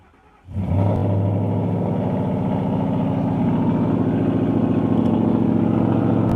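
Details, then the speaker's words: 2012 Ford Mustang GT (Coyote V8), knock present about two months, died once at 40 mph: hesitates on start, then idles with a dull regular knock from the bottom end; owner suspects lifter or rod knock, unconfirmed. "I don't know if y'all can hear it. Seems to be knocking the bottom."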